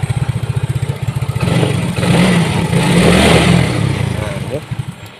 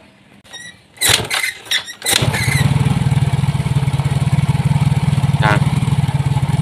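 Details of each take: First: Yamaha Mio J scooter: starts but won't hold idle, uneven putter with a brief rev that fades and dies; ISC already cleaned, intake air pressure reads normal, IAPS error; cause unconfirmed. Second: Yamaha Mio J scooter: starts and settles into steady even putter about four beats a second; intake air pressure drops to 48–50; normal idle, unlike before.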